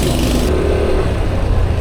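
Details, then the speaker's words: Yamaha NMAX V3 scooter at about 10,000 odo, front brake after repair: the front pads were replaced because dirt made the caliper piston stick and not return, so the pad dragged and scraped, and the pads were thin. It now runs smooth and quiet with no rubbing. "Wala ng tunog, wala ng ingay. Okay na."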